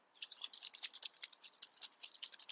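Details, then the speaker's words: Zenith 24T carburettor for a Ferguson TED 20 TVO tractor, float shaken after stripping: rhythmic high-pitched sloshing and ticking reveal fuel trapped inside a leaking float; planned fix is drill, drain, resolder and find the leak. "Hopefully you can hear that. There's fuel inside this float, and that's no good."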